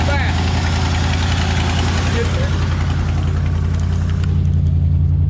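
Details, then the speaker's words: 1967/68 Ford F100 V8 with a rebuilt carburetor, first idle in about 17–25 years of sitting, muffler with two holes: deep, even burble idling smoothly with no misses, knocks or stumbles; normal idle. "oh where's the exhaust listen to that truck y'all look at that beauty she is idling two holes in the muffler"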